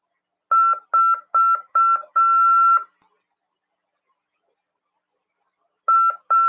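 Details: Morse CW practice tone from a Brazilian amateur-radio course lesson on CW and legislation: a clean high-pitched tone keyed as four short beeps and one longer dash, a pause, then two more short beeps.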